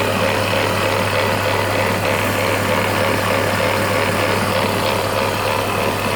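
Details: BMW E46 330Ci with M54 engine at idle: steady hum with a constant rough gritty grinding over it; grinding engine noise, source unknown.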